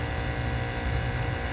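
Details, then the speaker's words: Heat-pump outdoor condenser in heat mode after its compressor previously would not hum: a steady, even low compressor hum with fan whir, no knocks or rattles. The compressor is running normally. "we weren't getting a hum at all you can hear the fan running but the compressor was not humming some heat"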